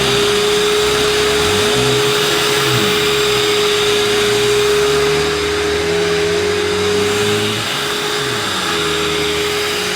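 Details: 1990s UK-made Hoover U2090 Turbopower 2 upright vacuum, still on its old belt: loud, steady motor roar with a constant mid-pitched tone and a smooth brush drone; the agitator turns properly and runs normally.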